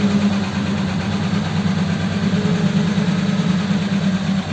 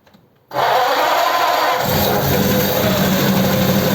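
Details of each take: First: Richard's Holley 94 carb on another truck, started with the choke worked under the bonnet, before a road test: smooth, even low idle at about three beats a second with no stumble or miss. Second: Holley 94 carb from Richard's Ford 8BA flathead pickup, run on another truck: catches sharply, then runs loud and stumbling as revs rise; carburettor only suspected, and it later needed full choke to start.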